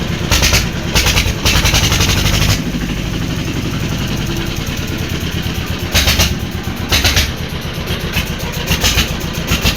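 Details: Old diesel engine after a plug change: repeated heavy chugging bursts that stop and restart with uneven firing; it refused to start easily and finally started once after several attempts. Cause suspected, not confirmed.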